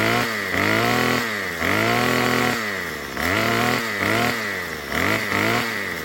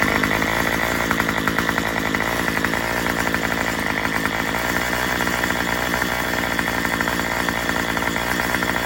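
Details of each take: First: Murray M2500 string trimmer, long unused, after fitting a new carburetor kit and turning the high-speed screw counterclockwise with the kit tool: about six clean blips climb quickly to a high scream and return to idle without bogging. Normal throttle response. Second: Murray M2500 two-stroke trimmer just fitted with a new carburetor kit and spark plug, running flat out; loud, buzzy, fast, slightly ragged pulsing that won't clean up. The high-speed mixture is untuned and it bogs.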